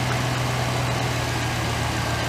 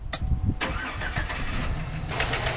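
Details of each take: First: 2008 GMC Sierra 1500 5.3 V8 after replacing a failed lifter with stock lifters: smooth, even low idle with a steady deep hum, no ticking, tapping or exhaust leaks; engine sounds healthy. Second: 2008 GMC Sierra 1500 5.3 LS V8 right after startup: sharp, rapid ticking in time with the idle from a failed AFM lifter, later fixed by removing the intake, exhaust and head and fitting stock lifters.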